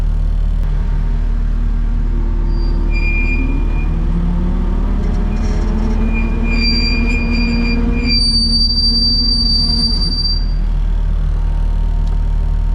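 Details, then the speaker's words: Kubota track skid steer, ear near the right-side track while running the track; high steady piercing squeal coming and going over low track rumble, noise not from rollers, right front idler suspected: track idler bearing squeal. "well that sounds terrible so I've asked Don to start the skid steer up and uh run the track so I can put my ears right down next to the track"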